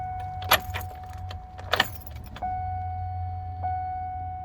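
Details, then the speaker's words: Likely a 2010 Cadillac Escalade after engine replacement, no-start: at key-on after clearing codes, a steady thin hum starts and holds as the fuel pump primes; fuel pump priming at key-on. "Oh, I heard it that time. Okay."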